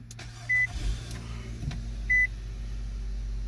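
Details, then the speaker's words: Nissan Altima 2.5L four-cylinder that stalled after a minute or two with code P0011, after intake timing solenoid replacement and code cleared: low, even idle hum with no misses or stumbles, couple of chime beeps; runs smoothly, no check engine light. "There is no more check engine light. Car runs very, very smooth now."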